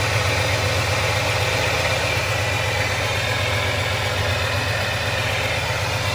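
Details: 2003 Ford F-150 Harley-Davidson edition V8 idling after an SCT BA2600 MAF install and ECM tune: smooth, steady low throb with no stumbles, surges or knocks. No check-engine light. The owner notes an exhaust leak.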